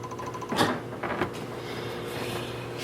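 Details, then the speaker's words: Failed Lambda Omega MML 400 switch mode DC power supply, powered up before disassembly: sharp, uneven ticking clicks over faint hum, very low output voltage, supply seems to start and cut out; cause not yet found. "you can see same kind of little ticking sound with very low voltage 2 and a 12 volts or so so definitely not correct"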